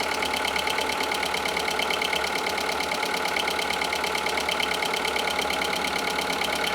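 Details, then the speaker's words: Audi A2 1.4 16V AUA after timing belt, cam drive belt and burst water pump replacement, first start: steady even idle with fine quick valvetrain patter, no knocks or misses, smoother than before; normal. "and it's running quietly oh my God okay this is exciting it's running it's smooth sounds a lot better than it did before"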